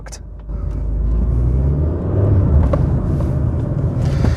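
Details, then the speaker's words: Mid-90s Rover 400 Tourer, first drive after sitting about a year, in second gear on light throttle: engine note swells and holds a steady low drone without pulling; slipping clutch, which later got a new clutch. "I'm in second gear right now. Just going to breathe on the throttle. That's why I parked it. The clutch is [ __ ]"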